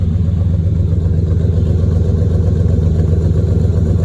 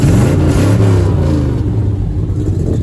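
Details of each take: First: TBI 454 V8 with small exhaust leak, donut gasket replaced: lumpy idle with an occasional pop breaking the rhythm; intermittent misfire, owner suspects distributor needs replacing. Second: Truck with a 454 V8 (owner says TPI, then TBI), two fuel tanks. Deep rumble swells with each throttle blip, pulling strongly with no stumble here. Owner notes an occasional popping misfire elsewhere and suspects it needs a distributor.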